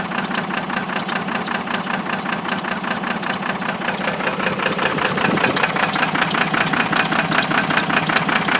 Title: 12 valve Cummins Misfire due to Blown Head Gasket